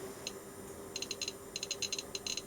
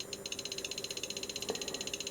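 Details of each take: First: Arduino Geiger counter with V2 sketch fixing a bug, radium-226 radio compass brought close: sharp random ticks growing denser and faster after three seconds; normal clicking. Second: Arduino Geiger counter with LiPo, near a probably radioactive US Army Signal Corps I-81-A indicator: sharp ticks about a dozen a second, far too evenly spaced; firmware bug, likely a delay in the sketch pacing the counting.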